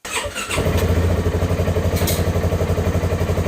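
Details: 2019 Polaris Ranger 570 mid-size, started after an oil and filter change with 2 liters of oil to circulate: single-cylinder engine catches and settles into a steady, even chug of about four beats a second; runs normally.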